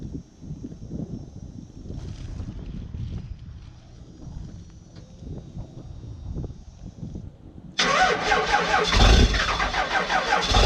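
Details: 1997 Dodge 12-valve Cummins diesel, automatic, built transmission, over injectors, #0 fuel plate, known exhaust leak, cold start at about 20°F: about eight seconds of slow, uneven cranking before it catches into a loud rough idle; hardest cold start yet.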